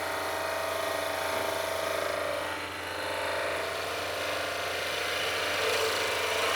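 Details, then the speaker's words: Skew chisel on a lathe pushed into the bevel too hard: harsh, rough scraping cut with a faint steady tone underneath, discoloring wood and leaving ridges and indentations. "So, I'm pushing into that bevel really, really hard, and it's going to discolor and it's going to give us some little ridges and indentations that we don't want in the wood, especially on woods where we have sapwood and hardwood with different densities."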